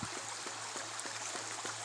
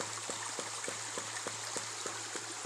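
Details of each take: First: Ram pump with a 10-foot standpipe about 35 feet upstream, 1-inch supply pipe converted to 2-inch: soft rhythmic glugging thumps about 2.5 per second over running water, faster than the recommended once per second, but pumping well. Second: Ram pump fed through a 10-foot standpipe 35 feet upstream, with 1-inch pipe stepped up to 2-inch: sharp regular clacks about 2.5 times per second over flowing water; the waste valve cycles faster than the ideal once per second.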